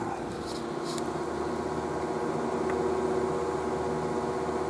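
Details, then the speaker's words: Motor run from a modified sine wave output, compared with the BigBlue Cellpowa500 pure sine wave portable power station: steady raspy buzz with a fixed mid-pitched hum over the motor's whir; motor buzz from improper waveform, said to damage devices. "あの正しく同社しないでをモーターとかマイコンとかなので変な音がするでしょ異音がするでしょなのでこれでねあの機械が音壊れちゃうんだよね"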